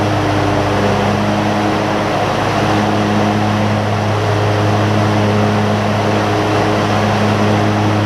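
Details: John Deere ZTrak Z915E, Kohler V-twin, sat 2 years; after carb clean fixed a sticky solenoid causing no fuel. Warm engine gives a steady even beat and smooth low hum, no knocks; normal running.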